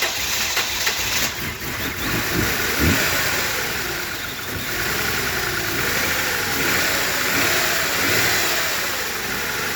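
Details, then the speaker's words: 2010 Lexus IS250 after AC compressor locked up and threw the serpentine belt, now on a shorter 7-rib 58-inch belt bypassing the compressor: catches and settles into a fairly even idle, no belt squeal or chirp. Normal idle. "i got the new belt shorter belt on here to uh bypass the ac compressor and we're gonna start her up and see see if it worked"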